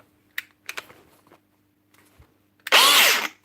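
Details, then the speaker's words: Milwaukee power tool tested before repair: a few clicks, then a brief rough spin-up with falling whine and scraping; worn motor bearing letting the armature rub, a common fault on these. "this is a particularly common one bad bearing robbing motor why is this one Rob inla it just because of that bearing"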